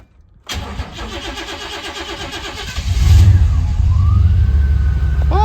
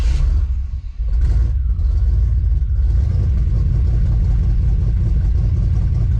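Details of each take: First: 1991 Chevy Silverado with 399,000 miles, after reconnecting the MAP sensor vacuum hose knocked off during EGR work: quick crank, then a strong, even, deep idle with no miss or stumble; normal start and idle. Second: 1991 Chevy Silverado with 399,000 miles: deep, uneven, rough rumble because the MAP sensor vacuum hose was knocked off during EGR work; it runs much better once the hose is reconnected.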